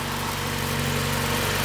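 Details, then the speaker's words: Mazda Miata, lowered, good oil pressure: smooth, quiet, even idle with steady low hum, no knocks or ticks; engine just purrs, quieter than many Miata motors. "wow look at that just purrs the engine's really quiet"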